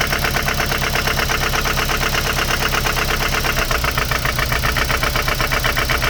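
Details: Mazda MX-5 NC 1.8 at idle: a fast, uneven knock, roughly three a second, riding over the engine; knocking sound, cause not yet pinned down.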